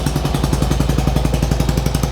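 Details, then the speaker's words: 1995 Harley-Davidson Sportster after plug check, warming up with a little choke: even, fast lumpy beat with both cylinders now firing (earlier ran on one); idle sits high, and the carb needs cleaning next. "so it sounds like it's a high idle right now but needs a carb clean next but both are running so we are good there"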